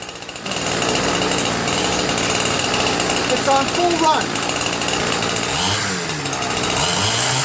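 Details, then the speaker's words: Ryobi 410r 31cc mini cultivator two-stroke after rerouting wrongly connected fuel lines: buzzes at a steady busy rate and picks up cleanly and responsively without stumbling; normal running. "so this though works great now unbelievable huh"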